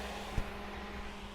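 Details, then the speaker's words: Rover Metro radiator cooling fan running via added manual override switch (Japanese Metro A/C switch), ignition at accessory: steady low whoosh with faint even hum, no rattle or scrape; normal fan running. "there we go it'll go off with accessory so some people would say that's a little bit of a bodge and yeah i get that to be fair"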